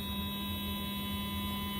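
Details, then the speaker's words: Athearn Genesis MP15 model locomotive with Mashima motor: steady, even hum with no grinding or rattle; definitely quieter now, doesn't stall, current stays below 1 A. "so we're good to go on the motor and it definitely it definitely has quieted"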